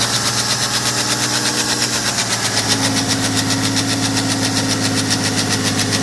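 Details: BMW 525d F10 with N57D30 diesel at cold start: sharp, even knocks, roughly four per second, through the cold idle; cause unknown.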